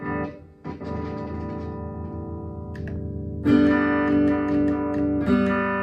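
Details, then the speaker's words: 2017 Gibson Les Paul Traditional through an amp, with sudden volume drops when the pickup selector is switched and scratchy crackles when the volume pot is touched, from dirty contacts; the switch and pots are to be cleaned with DeoxIT. "test did y'all hear that so when I switched it it actually dropped in volume and when I touch the volume pot the N for the pot there it [Music] crackled"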